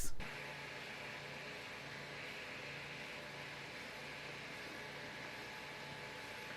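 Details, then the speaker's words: Creality Ender 5 Plus 3D printer after installing the silent mainboard (TMC2208 drivers): only a soft steady fan hiss, no high-pitched stepper motor whine as with the original board; steppers now quiet. "the difference in the two Clips obviously is not the fan noise in the background but that high-pitched sound that we get from the motors you don't hear that on the silent board anymore"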